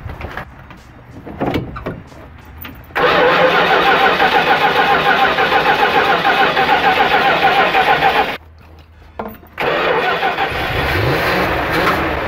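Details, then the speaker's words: 1974 Dodge Winnie Wagon B300 van, fed from a boat tank to test the fuel pump, with oil previously dumped in the cylinders. Short crank, then a steady, even idle that stops briefly, restarts and runs evenly while smoking off the oil. Normal start and idle. "me yes sir winie wagon is idling making some noise yes sir she is smoking cleaning out all that oil I dumped in the the cylinders"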